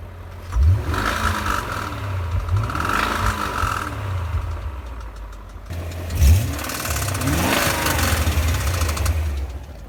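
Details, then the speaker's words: 2001 BMW E39 M5, S62B50 V8: two rev blips show a hard metallic knocking under the rising engine note. Engine began making unpleasant noises; confirmed connecting rod bearing failure, bearings to be replaced. "he got some miles on it here in california and then the engine started making some very unpleasant noises so we figured it was the connecting rod bearings"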